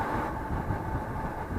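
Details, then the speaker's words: Atwood RV furnace after cleaning and blower motor repair (brushes refitted), run on a weak 12 V battery: steady even blower hum, no squeal on startup, which previously lasted 5–10 minutes until warm. "But it's a lot better now. No more squealing. That's the main thing."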